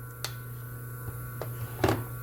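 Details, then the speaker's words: Motor running on an undersized run capacitor: a steady low electrical drone with scattered handling clicks, AC oscillation humming because the capacitor cannot compensate the current phase shift. "Eu não sei se estão ouvindo aí, mas já está dando sinal de corrente alternada na oscilação, né, da corrente que fica fazendo o ciclo, já fica roncando. Sinal que já está bem, a defasagem não está igual, né?"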